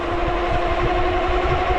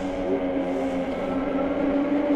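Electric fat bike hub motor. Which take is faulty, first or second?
first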